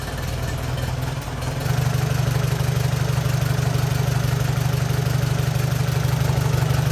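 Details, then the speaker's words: 1944 Allis Chalmers B tractor, back running after sitting many years, idling while warming up after fresh engine oil was added; deep, steady low chug about three beats a second with no knocking, a healthy idle. "so let's start this thing up um let it warm up let the oil get good and circulated and then we'll check the levels again and move on from there"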